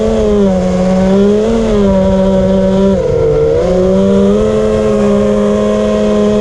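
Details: Drone motors making a weird loud steady buzzing, harsh whine that dips and recovers with throttle changes; motor buzzing.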